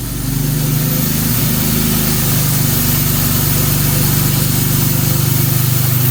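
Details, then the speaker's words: 1957 Jaguar XK150 FHC first start after restoration, rebuilt twin HD6 SU carbs, baseline settings, cold; steady even idle with constant airy hiss from the starting carburetor as it warms; normal cold start with starting carburetor hiss. "You can hear the starting carb hissing away. Pressure. Getting warmer. You hear that starting carburetor go?"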